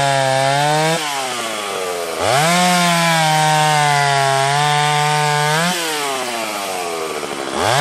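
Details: Stihl 031 AV chainsaw, freshly ported, cutting under load. A high, steady two-stroke scream dips briefly as each cut starts, then pulls straight back clean; running better than ever, like brand new.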